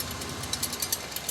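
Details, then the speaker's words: Royal Enfield Bullet with spoked wheels, rear wheel while riding: light irregular ticking clicks over a faint rolling hum; loose rear rim spokes are the thing to check. "വണ്ടി ഓടിക്കുന്ന സമയത്ത് ഇങ്ങനത്തെ ഒരു സൗണ്ടുമായിട്ട് വരുന്നു back വീലിൽ നിന്ന്. അപ്പോൾ നോക്കേണ്ട കാര്യം എന്താണെന്ന് വെച്ചാൽ ബാക്കിലെ വീലിൻ്റെ റിമ്മിൻ്റെ സ്പോക്സ് ലൂസ് ഉണ്ടോ നോക്കണം."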